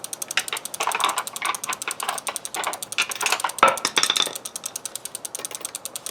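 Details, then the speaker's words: Vintage Norco bike front derailleur (two chainrings) not shifting after cable tightened; rapid ratcheting clicks as crank turns, clunk when chain finally climbs; shift hesitates, cable keeps loosening, owner wonders if it's pulling out. "see now she doesn't want to switch now she does and the cable's loose again which I'm finding seems to be happening"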